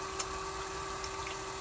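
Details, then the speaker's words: Newly swapped pump motor with a new pulley pressed on, seemingly turning much faster than the old motor: steady high whirring hum, constant pitch, faint water movement; running briskly and evenly. "But it appears it's turning a lot faster than the old pump too, the old motor."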